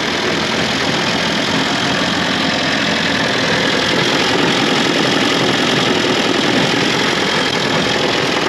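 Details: Austin 7 engine after multi-spark ignition and new Champion plugs, sound transferred by rod to mic: steady idle with rough uneven low rumble from the bottom end; big ends or bearings suspected, not confirmed.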